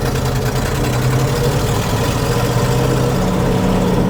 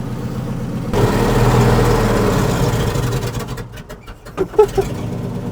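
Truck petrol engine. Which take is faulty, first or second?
second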